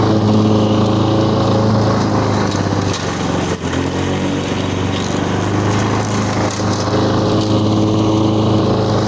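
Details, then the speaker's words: 1985 Lawn Boy model 7350 two-stroke mower, revived after at least three years outdoors, cutting thick weeds on raised wheels. Steady drone that sags briefly as it bites into the grass, then recovers evenly. Healthy under load; the owner thinks the RPM is a bit low. "well there you have it blonde boy out doing what a lawn boy is good at clearing brushed and Mowing and verbaling away good running old mower real good running on mower"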